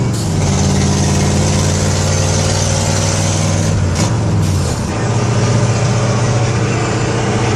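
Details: 1970 Ford F-100 with a 302 V8 and 4-speed, driven for a while with an exhaust leak: a loud, raspy rumble with a puffing edge that drops during the shift and returns under load. Finding: exhaust leak.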